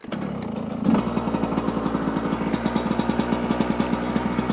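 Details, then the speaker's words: 2024 Yamaha YZ125 two-stroke dirt bike, after pilot jet change, carburetor refilled by tipping bike, choke on: starts and settles into a steady, even, crisp popping idle; before, idle was crazy high despite air screw adjustment. "that sounds better before the idle was just like crazy high even though I was adjusting it let's keep our fingers crossed"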